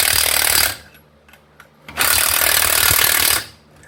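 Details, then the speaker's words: 2008 Dodge Charger R/T, refitting wheels after carrier bearing job: two bursts of rapid impact wrench hammering, tone changing from low to high as lug nuts seat. "Now, I don't know if you guys can hear the change in tone from low to high, but that tone tells me I've sunk the lug nuts down."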